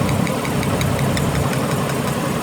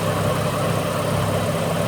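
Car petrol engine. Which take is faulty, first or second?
first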